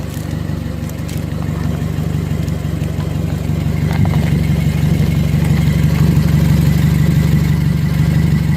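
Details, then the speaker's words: 2008 BMW 116i, 1.6 petrol, brought in for rough idle and suspected misfire with ECU code 29D0. Engine idles then revs with an extra raw puffing edge from a split in the exhaust just after the flexi pipe, fumes felt by hand. Exhaust leak. "okay don't know how good you could see that there is definitely a split in the exhaust right there I can put my hand I can feel the the fumes coming through"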